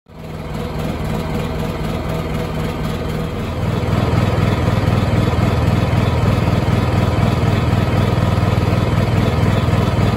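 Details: Honda EU7000is generator with a GenConnex conversion kit, running on natural gas at about 700 VA light load, gives a heavy, lumpy, uneven drone, shakes and backfires; it runs worse with no load. The cause is not confirmed.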